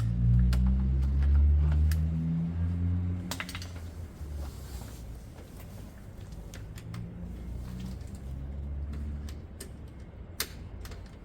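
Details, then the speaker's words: Honda CB200 motorcycle that has sat a while: steady even cranking, about four strokes a second with uniform low thumps; compression test 145, good, yet cause of non-running unknown. "oh that's annoying because it's a good high reading 145 and it's been sitting for a while then what makes this engine not a runner I'm confused"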